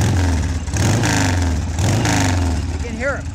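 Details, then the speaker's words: Harley Sportster 1200 V-twin with drag pipes, Hypercharger air cleaner: sharp pops and spits on throttle blips; intake seals blamed for popping, plugs need cleaning. "hear it pop when you give it the gas, and when you start it cold, you can tell the plugs need to be cleaned."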